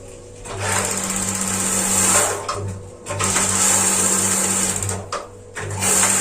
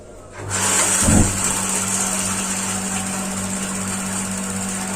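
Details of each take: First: Paloma gas water heater, simulated empty LPG cylinder with regulator removed: quick sharp igniter ticking in bursts, about four clicks a second, no burner roar; sparks but no gas reaching burner, no solenoid click heard. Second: Gas water heater after changing to a new LPG cylinder: ignition clicks, a soft whoomp as it lights, then a steady even roar with a faint hum. It now stays lit and runs normally.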